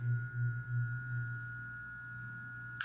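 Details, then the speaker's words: Single-phase AC condenser fan motor (5-wire) wired on the orange low-speed lead, which has an extra inductor in the circuit. A steady low electrical hum with a faint high tone but no spin-up: the motor is energised but won't start without a kickstart. "nothing happens because I have that extra inductor in the way. It needs a little kickstart."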